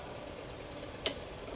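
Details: Mazda Atenza (6) brake jacked up, gear engaged, pedal applied: single sharp tick from the knuckle/caliper area; caliper shifting on dry, unlubricated slide pins after 4S shop pin replacement.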